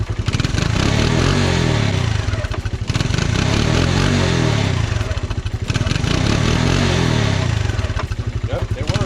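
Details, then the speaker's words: 1985 Honda TRX 125, sat for years with locked rear end, now freed: starts right up and settles into steady low single-cylinder thump with gentle rev swells, no knocks or rattles, put in first gear to test brakes; runs fine. "That's great, dude. Starts right up. First gear."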